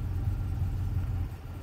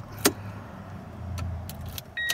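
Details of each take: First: Toyota Tundra at idle during fuel pressure test: low, uneven rumble with a wavering beat that sags, idle near 500 rpm and shaky, AC raises it slightly; owner notes occasional no-start on first try; rough idle. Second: Toyota Tundra with a fuel pressure gauge fitted via a banjo adapter in place of the fuel damper, owner chasing a low ~500 rpm idle (should be ~700) and starting trouble: short crank, catches at once, steady low idle with door chimes; a normal warm start.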